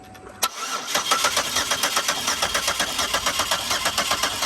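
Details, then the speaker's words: 2004 Buick LeSabre that sat for years, new plugs, wires, coil packs and MAF: sharp clack then even, fast cranking with no firing; spark confirmed, but no fuel at the disconnected feed line, so the fuel pump or filter is suspected. "So we got spark, we got spark. just no fuel. Took the fuel feed line off and cranked it just to see if we got fuel coming up, and we got nothing."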